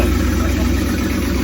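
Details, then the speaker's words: 1977 Winnebago big-block 440 V8 during turbo build, manifolds loosely bolted with exhaust piped out the side: loud even low thrum, regular exhaust pulses, no skips or ticking; smooth healthy idle. "thing runs so good now. Oh man. Oh yeah."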